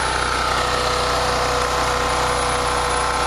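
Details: Generator after carburetor replacement for surging; about 61.5–61.8 Hz, 124 volts (target about 3,600 rpm); steady constant speed, no hunting or misfire; no more surging, normal running.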